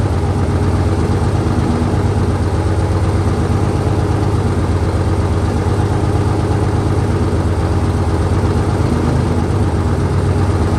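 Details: 1968 Dodge C500 truck on a cool day, about 15° colder than before, started via jump from another truck and starting fluid: deep, even idle rumble with steady firing, no knocks or misses; idling smoothly.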